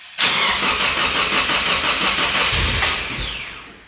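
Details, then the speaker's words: Ford AU Falcon (accident-damaged) on ethanol fuel, about 9 degrees outside, remote start: starter churns at even steady beat for seconds without catching, then winds down; long cranking no start, owner blames ethanol and cold. "Not surprising, it's on ethanol. Come on. It is like 9 degrees outside, so I'm not surprised."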